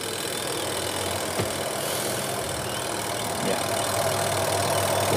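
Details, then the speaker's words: AQUA QW-781 XT twin-tub washing machine after replacing spin-dryer rubber seal and drain hose: steady, smooth whirring spin that builds slightly, no knocks or scraping, brakes when lid lifted; spin dryer running normally. "lembut ya kita matikan suaranya lembut kemudian ini pencuci Oke normal sobat pengering sudah normal"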